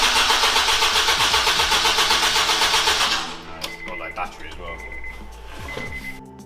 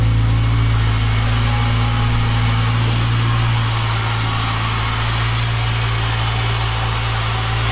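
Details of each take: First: Honda Integra DC5/RSX with a new Racing Circuits engine harness, first start attempt in 8 months: quick, even cranking at about four beats a second for three seconds, never catching, because there was no fuel in it; crank, no start. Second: Honda Integra DC5/RSX with a new Racing Circuits engine harness, just started for the first time in 8 months after refuelling: a deep, steady hum with an even pulse and no misses or knocks; normal idle.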